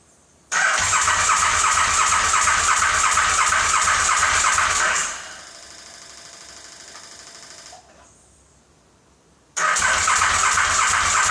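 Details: KTM 950 SM motorcycle cranking on car battery with gravity-fed fuel and starting fluid sprayed into carb inlets past the butterflies; even quick cranking, never fires or coughs; spark confirmed at plugs, cause still unknown.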